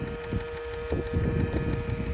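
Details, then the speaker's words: Honda Accord (CU2), car on, power-folding mirror button pressed either way: steady motor whine with rapid irregular clicks and thumps as the mirror folds in or out. The mirror mechanism is struggling; fixed by working on it through the door panel. "that's basically this button like for the the mirror to um to be able to come in and go out that's the sound whichever way you turn it that's the sound it"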